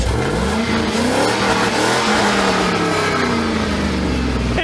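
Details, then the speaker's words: Chevy LS V8 swapped into a small Toyota pickup with eBay block-hugger headers, revving: deep burble climbs cleanly with throttle then settles, strong healthy exhaust with no rattles; quiet at idle, loud when revved. Normal revving. "definitely sounds like she's got some Jam"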